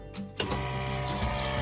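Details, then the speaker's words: Nissan GQ Patrol with cheap eBay turbo kit and intercooler, newly wired oil/intercooler pump on a switch: click then quiet steady whirr with even buzz, no rattle or surging; pump running properly at about 6 litres a minute. "Oil pump's banging at 6 litres a minute out."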